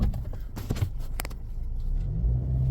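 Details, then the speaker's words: 2014 Ford Escape after the fix, backing up with wheels turned: low smooth rumble, no thumps, shudder or violent movement; engine steady on its mounts, normal reversing with no clunk. "back up. It's not violent. Alright, I mean, that was not a bad fix."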